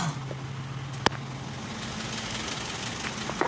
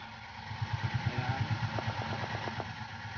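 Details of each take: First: Isuzu 4HK1 truck (Reward), running after ECM relay replacement fixed no-start with flash code 56 (P0651); check engine light now off: steady low diesel hum, even pitch, a couple of stray clicks, smooth healthy idle. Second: Isuzu 4HK1 diesel truck, check engine light on, DTC P0651 flash code 56; starter cranks in quick, even chugs about three per second and never catches; crank no start from ECM relay fault, fixed by replacing ECM relay.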